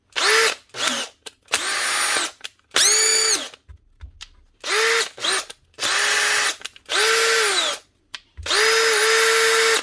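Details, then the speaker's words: Makita DHP42 drill after a new armature and brushes, following a burnt-out motor: repeated trigger pulls each spin up to a clean steady whine and wind down, with no grinding or crackle. The motor runs normally. "That's her, up and running. She'll not smell great for a little while because she still smells of burnt out motor, but that'll fade over time."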